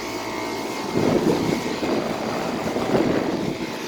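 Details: 2000 Carrier WeatherMaker TECH2000SS five-ton air conditioner starting up and running: steady, even condenser-fan whoosh over a smooth compressor hum, no knocks or rattles; a healthy unit running normally.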